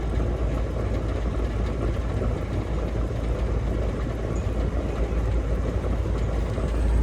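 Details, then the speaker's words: Amana heat pump outdoor unit on a no-cooling call, indoor fan running, control board blinking code six meaning open start circuit: only steady low fan rumble, no compressor hum joining in; fan-only, compressor not starting, open start circuit. "open start circuit ah that doesn't sound good"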